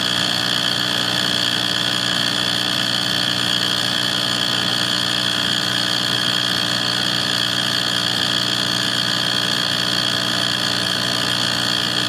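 A steady, even rumbling drone with a hissy airy top and no change over the run; furnace noise of unknown cause.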